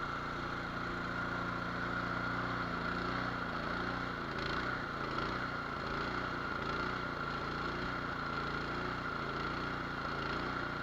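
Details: Nearly new, unused Cub Cadet 824 two-stage snow blower, 208cc, brought in as a no-start, started on choke: uneven hunting idle that never settles. Surging from a clogged idle jet, to be cleaned or drilled out.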